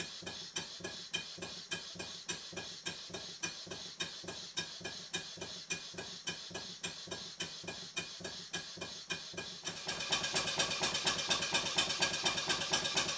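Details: Stuart 5A or S50 model steam engine on the bench, run on compressed air from a Bambi BB50D compressor switched off before the run: crisp, even exhaust chuffs about two per second, quickening and thickening as it speeds up. Normal running.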